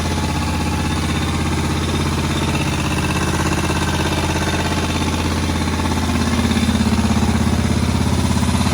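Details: Moto Guzzi single, first start after about 40 years following head work, a bit smoky: steady, even thump at idle for about nine seconds, no misses or knocks. Clean, healthy normal tickover.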